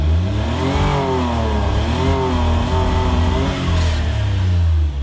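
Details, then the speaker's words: Suzuki Cara/Autozam AZ-1, cold engine, fuel pressure 37-38 psi, old battery refitted: high idle surging up and down instead of settling; hunting idle, cause not yet found. "It's still kind of all over the place. I'm gonna let it warm up a little bit."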